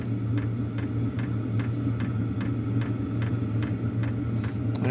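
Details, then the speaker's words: Wippro 8kW diesel heater running at a low power level: crisp, evenly spaced fuel pump ticks about 2.5 per second over a steady fan hum, possibly exaggerated by a sensitive external microphone; normal operation. "so the clicking you're hearing is the uh fuel pump um I'm sure it probably sounds louder on camera than it actually is"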